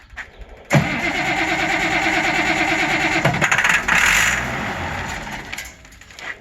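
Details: Auction-bought 190 XT tractor diesel on a temporary fuel pump, cranked while fed ether: starter at about three beats a second, then it catches roughly with a harsh uneven roar and fades back. Diesel is not reaching the injectors; hard starting.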